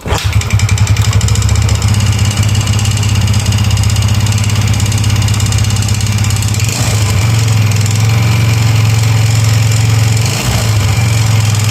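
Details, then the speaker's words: Yamaha Mio Soul GT 125 FI, recently bought, running with the CVT drive components removed: a loud, coarse, steady droning rumble, so the roughness is inside the engine; piston, cylinder block or conrod suspected, not confirmed. "Nah tadi kita sudah dengarkan suaranya sendiri ya sudah bisa dengar sendiri jadi ini suara bagian mesin ya lalu untuk suara bagian mesin ini bisa juga dari suara piston dan blok seher yang memang sudah dilakukan pergantian"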